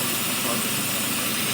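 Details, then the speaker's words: Vacuum line pulled off the intake manifold after the throttle body, creating a vacuum leak: a loud steady hiss over an idle that won't hold evenly. "That's a vacuum leak. Oh, you know what? Let's leave it. Let's leave it. Let's leave it. You can definitely hear that leak. Very loud."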